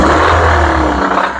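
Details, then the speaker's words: Petrol engine in an ASE class diagnosis, light clatter appearing only when revved, heard louder with stethoscope low on the engine; diagnosed as rod knock, confirmed by teardown. "Mitchell how you noticed you have to kind of rev it to get that clatter we want to continue to duplicate that"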